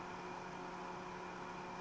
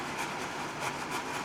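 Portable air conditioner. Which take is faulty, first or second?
second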